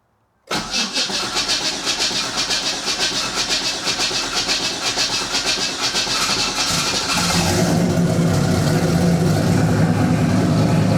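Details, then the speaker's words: Boost-ready 5.3 LS V8 swapped into a Nissan 240SX S14, on E85 in a cold shop, first start after reinstall: about seven seconds of steady cranking, then catches to a smooth, even idle with about 65 psi oil pressure; normal start and idle. "look like 65 lbs oh baby she sounds good"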